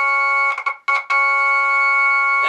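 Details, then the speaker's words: Jensen V21 Leslie upper horn driver, driven by a 122 amplifier from a 1963 Hammond B3 organ: chord rings pure and steady with no buzz or rattle; this driver is clean, unlike a buzzing one needing diaphragm reset. "let's hear how this one sounds that's clean that's clean yeah i'm right okay so this one is clean"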